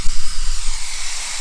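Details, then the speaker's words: 1978 Jaguar XJ6 Series 2 barn find stored 24 years, temperature gauge barely above half: loud, steady steam hiss easing off over a second when the expansion tank cap is pressed; cooling system over-pressurising and venting at the cap. "right but now as you can see it's it's over pressurizing the game"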